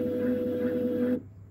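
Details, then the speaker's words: Mastertronic analyzer during reference fluid test, third stepper run after draining: steady motor hum with light quick chatter for about a second; normal stepper rattle because the chamber is empty. "you will hear some rattling because the erection chamber is empty that's normal now do nothing"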